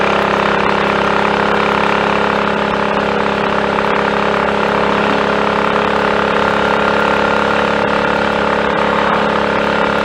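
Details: Triumph Tiger Cub on a frosty morning, warmed on half choke then choke off, riding under load after a new carburettor slide, needle, needle jet and main jet were fitted for its rich mixture: steady, even single-cylinder beat, no misfiring, though the plug is still quite black.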